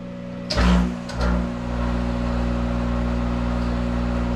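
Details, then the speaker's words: Monarch 10ee toolmaker's lathe, warmed up, spindle running forward then reverse at about 400 RPM: brief switching clunk, then smooth even hum with steady low tone, no knocks; normal spindle run. "and here we're going reverse what are we doing oh about 400 RPM that's okay for this machine"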